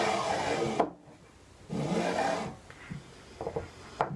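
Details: Prusa i3 MK3 Y-axis carriage after belt adjustment: rough scraping rasp in bursts as it sweeps back and forth, quieter between strokes; still a little noisy but somewhat better.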